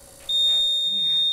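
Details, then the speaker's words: Broken apartment elevator fault alarm: steady, shrill high-pitched beep in a quiet area. The elevator has been out since before Christmas. "This beeping noise residents can hear from the elevator area. And when they come to try to use it, you can see it's not working. And I can hear that beeping. It beeps loud."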